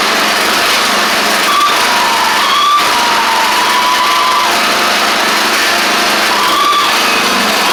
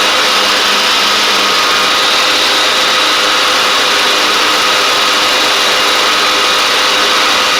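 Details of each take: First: Craftsman DYT4000 riding mower running and driving after a faulty seat safety switch was suspected: loud high-revving engine roar with a faint wavering whine near 1 kHz coming and going; owner suspects the pulleys, maybe needing WD40, unconfirmed. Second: Craftsman DYT4000 riding mower, dragged out of the woods after sitting, now with new tank grommet, shutoff switch and blades: small single steady and even at fast idle, no misses or knocks, faint deck whirr; it started, ran, drove and cut. Normal running.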